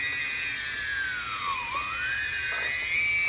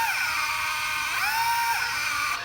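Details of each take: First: DJI Phantom 2 drone after ECU/motor replacement, motor lock-up fixed; in flight mode the high motor whine dips smoothly with deceleration and climbs evenly with acceleration, all motors balanced, no rasp or stutter: normal motor run. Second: DJI Phantom 2 drone on the bench, crashed when steered in one direction; on motor start one motor runs erratically, jams and crunches, high whine wavering and dipping sharply: faulty motor/electronic speed controller, to be replaced.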